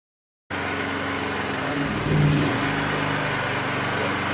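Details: Champion 100520 generator engine idling with an uneven, faltering beat and a brief stumble; sputtering idle, suspected to come from a clogged carburetor pilot (idle) jet, to be cleared with carb cleaner spray.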